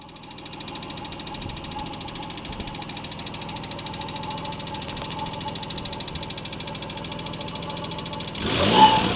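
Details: Nissan Pathfinder idling with a fast, even ticking, ending in a brief rush of noise. Owner unsure whether it is lifter noise or engine knock; not confirmed.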